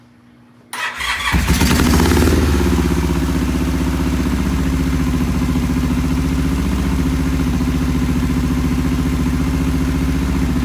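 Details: Vintage British twin, first start, choke off, timing just set: catches and settles into a low, loping, uneven idle; poor idle from clogged pilot jets.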